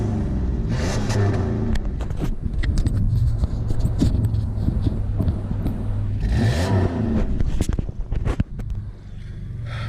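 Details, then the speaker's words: Supercharged car with no catalytic converter, smelling of gas: rough idle with two quick revs and sharp, uneven puffing ticks through the exhaust from an exhaust leak, otherwise running decent. "That's what I'm working on, but she actually sounds decent minus the exhaust leak. So let's hear it."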